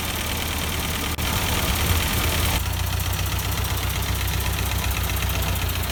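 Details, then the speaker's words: 1952 Ford 8N tractor, not run in years, after freeing a stuck exhaust valve: low, even idle with steady firing beat, no misses or knocks, still burning off oil and excess fuel; normal idle, no transmission noises. "so so they're running a lot better now still burning off all the oil that was in the cylinder and probably all the excess gas and stuff that went into the exhaust muffler"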